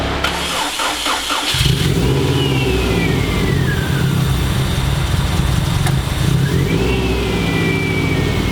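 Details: Freshly built Subaru EJ205 in a WRX, first start on 10W30 conventional break-in oil after priming oil pressure: brief crank, catches about 1.5 s in, then settles to a steady even boxer idle with no knocks or misses.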